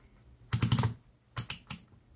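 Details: Known-good 12 V DC four-post solenoid/contactor energized with a power probe: crisp, sharp clicks in quick bursts as it switches on and off, normal solenoid click, unlike the failed unit.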